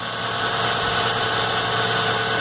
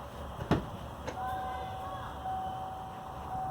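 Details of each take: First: 1997 Ford Mustang 3.8 V6, just after replacing a worn serpentine belt that chirped: smooth, even idle with a steady hum and no squeak or chirp from the belt drive; normal idle. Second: 1997 Ford Mustang 3.8L: the engine cranks and catches, then a steady high-pitched squeal rides over the idle from a worn serpentine belt, which was then replaced.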